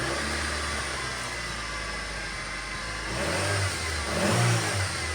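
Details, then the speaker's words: Flood-damaged car, previously sunk in a lake, started after the ECU was dried out for a day and cleaned of mud: steady even idle, clean smooth rev rise and fall without stumbling or misses; only minor damage, engine sounds healthy. "All right, that makes me very happy. It seems like we only had minor damage overall to the car."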